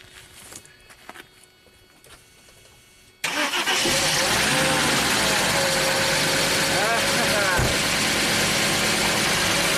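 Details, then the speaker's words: 1995 Mercedes E320 wagon, unused for a year with its crankcase full of oil, cold first start after the fix and clearing a crank sensor code; it catches at once and settles into a smooth, even idle with no misses or knocks. Normal start and idle. "alive yes that was freaking awesome you know that feeling when you know you have the problem fixed even before you crank it fantastic running smooth"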